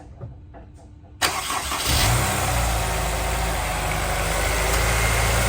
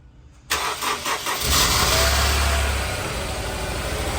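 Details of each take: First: Honda S2000 with 200,000 miles that ran on 3 cylinders, after spark plugs, valve adjustment, injector cleaning and new pulley bearing: quick crank and catch, smooth even idle, no misses or knocks; normal. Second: Honda S2000, 200,000 miles, idling rough on three cylinders (number two misfiring): on start a shrill starter whir lingers as the engine fires, then settles — starter hanging up after engine start.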